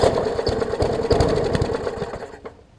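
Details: Murray 20-inch 3.75 hp push mower, long dormant with stuck-open intake valve freed, new carb diaphragm, primed, tank cleaned: quick rattling pull-cord strokes with no firing or catch; cranks but won't start, owner suspects wet or fouled spark plug.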